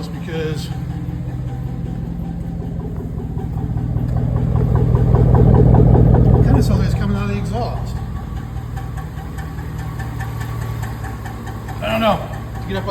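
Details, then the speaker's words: 2006 Chevy Silverado, newly appeared noise: a low idle with a fast, fairly steady rattle of three to four a second that swells with revs and is getting worse; oil pressure is more or less good. Owner suspects the catalytic converter. "this is a new noise that makes me think it might be the cat let get this thing home before it blows up on me"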